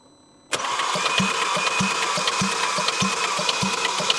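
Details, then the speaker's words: Audi RS3 8V, 2.5-liter five-cylinder engine, auction car with turbo missing: compression test cranking, starter spins fast and evenly with no compression strain, zero on cylinders one and three; suspected bent valves leaking compression internally. "but it's definitely looking like what we said the valves have bent and allowing all the compression to leak internally"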